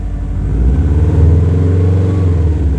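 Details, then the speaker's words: 03 Subaru WRX wagon, 236,000 miles, freshly rebuilt bottom end and milled heads, after installing Invidia downpipe and HKS full exhaust (previously no exhaust): low throaty rumble rising and falling with throttle, not harsh, no rattles or leaks, normal. "So we put on the exhaust, bolted everything up. It sounds pretty nice. It definitely doesn't sound hellishly loud like it did before."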